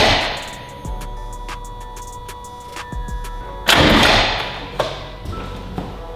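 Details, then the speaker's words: Built Subaru WRX STI first start, crank sensor unplugged to build oil pressure, car left in gear with clutch slave not bled: heavy, uneven thumps and a harsh jolting crash as the starter fights the engaged gearbox. "oh I just had a panic attack that noise scared the crap out of me that was because the car is in gear the slave is still not bled"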